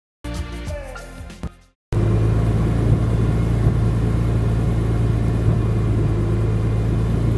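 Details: Warmed-up BMW E46 M3 (oil near 200°F) at low rpm: deep rumble with an uneven stumble about four times a second, a misfire/knock with low-rpm power loss. It seemed to appear after new coils, plugs, injectors, O2 sensors and catback; compression is fine.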